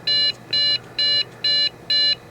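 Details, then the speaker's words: Dell Inspiron 660S from trash, CPU cooler caked with dust: CPU fan spins, shuts off, restarts, then five evenly spaced startup beeps; suspected DDR3 memory error. "The CPU fan spins, and then it shuts off, and then comes back on, and then does this. 1, 2, 3, 4, 5, right?"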